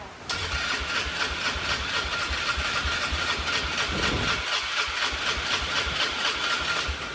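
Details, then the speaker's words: Polaris Trail Boss 325 four-stroke, believed 2004, parked 12 years, carb cleaned, new battery: fast, even cranking at about four beats a second with one brief catch, then cranking resumes. Fuel-starved with the idle mixture screw closed. "It's not happy about something."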